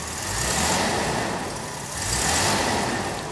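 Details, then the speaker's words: 1975–1980 Jaguar V12 with Bosch D-Jetronic fuel injection, throttle position switch connected, possibly slightly flooded after injector testing: two quick blips swell smoothly from idle and fall back without bogging. Clean throttle response; disconnecting the switch would cause a bog. "see how it basically doesn't bog down if I were to disconnect that switch I can do it's gonna bog down"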